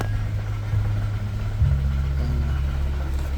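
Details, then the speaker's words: Nissan Almera/Sunny N17 just after start, idle dropping and shaky; uneven idle whose RPM rises and falls as if about to stall, no throttle applied; cause not yet identified: rough idle. "tapos yung tunog ng makina ganito anan Ayan nagloloko na yung tunog ng makina shaky ung makikita niyo shaky yung makina niya hindi normal"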